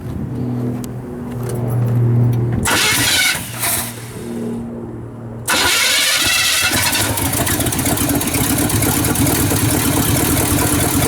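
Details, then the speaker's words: Chevy with new Quadrajet 4-barrel carburetor, gas line into tank, fuel just reaching carb: uneven cranking and stumbling catch, then fires at about five seconds and runs steady; may cut off until fuel circulates. "yeah got this thing fired up like I said it took a little time to get that fuel up"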